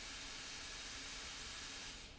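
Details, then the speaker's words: Radiator on a pressurised central heating system, bleed valve opened a quarter turn: steady high airy hiss for about two seconds as trapped air escapes, then it fades. "open it just a quarter of a turn you can hear the air rushing out and I can feel the air rushing out"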